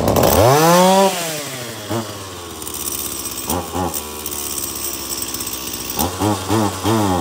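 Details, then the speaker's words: Stihl MS 170 chainsaw that wouldn't shut off by its switch: fires up, revs cleanly through throttle blips and settles to steady idle; it starts, runs, oils and now shuts off with the switch, running normally. "okay so it starts it runs it oils and it shuts off of the switch again"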